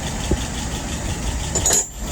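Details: 1948 flathead test engine with a restored WO 636SA carburetor (bowl replaced): smooth, even low idle raised from about 640 to 650 rpm, steady soft beat with no knocking or misfire; fuel pressure about 3.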